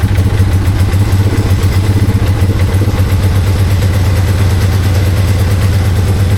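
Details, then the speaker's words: 2001 Polaris Sportsman 500 HO ATV runs after no-spark fix, now fired from the battery: deep, even single-cylinder thump at a settled idle, no misses or knocks; normal idle. "Runs runs pretty good. Ran pretty good."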